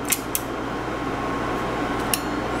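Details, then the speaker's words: Marantz 1070 integrated amplifier, brought in for no output, after the protection relay was unsoldered and tested as the suspected fault: steady low hum with a few sharp clicks as the speaker relay pulls in at switch-on, and output now present; normal protection relay click. "I heard the relay click and if we look at our scope and Distortion analyzer we have output so it's working now"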